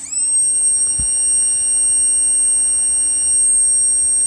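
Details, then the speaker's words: Heathkit HP-13 mobile power supply on 12 volts, being restored: loud, piercing steady high-pitched whine from the transformer driven in and out of saturation by the transistors, normal for this design. "the transformer going in and out of saturation. That's the way it's designed. Each of the transistors on either side drives it in and out of saturation for the high and the low voltage."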